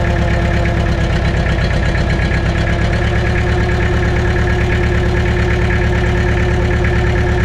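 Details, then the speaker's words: Mitsubishi BD2F dozer diesel running on its own after two or three years, after cleaning rust from fuel primer pump and bleeding injectors; even chug about ninety beats a minute, constant hum, no misses; normal idle. "just like that folks she's humming along it's two or 3 years it's R it on its own power again sounds good too"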